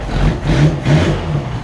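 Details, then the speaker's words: Autobianchi A112 Abarth race-spec 1050cc four after chain-to-cambelt conversion, first run off choke: revs up and drops back cleanly in quick blips, eager and even with no knocks; healthy engine. "It sounds a little better, which is not a surprise. And it sounds really eager."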